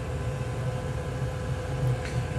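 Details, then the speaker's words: Chinese 2 kW Webasto-style diesel air heater at full output, temperature rising: steady, even fan roar over a constant combustion rumble with no surging or popping. It burns cleanly. "je vais installer un thermomètre e 1 donc là on niveau du ventilateur ça carbure"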